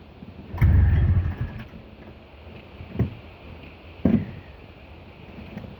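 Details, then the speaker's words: Snowmobile, second start attempt after sitting overnight in very cold weather; plug caps on fully, some corrosion in the carb: a short rough burst of firing dies within a second, then isolated pops. Hard starting and stalling, cause unknown. "Now I'm actually confused with why it won't start. You know, now this is starting to become an issue."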